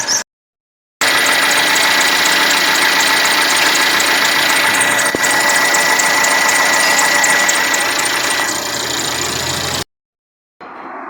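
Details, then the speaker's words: 2013 Mercedes C180 W204 1.6 turbo with 91,000 km, also losing coolant at the reservoir cap: the running engine gives a thin steady whistle and fast chatter, which comes only from the old, still-original worn accessory drive belt. "o barulho Qual que é o barulho que ela tinha apenas a correia tá"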